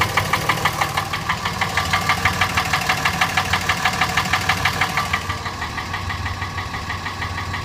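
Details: Diesel engine idling with a sharp, regular knock of about three beats a second over a low rumble, still present after the fuel pump, injectors and CP3 were replaced.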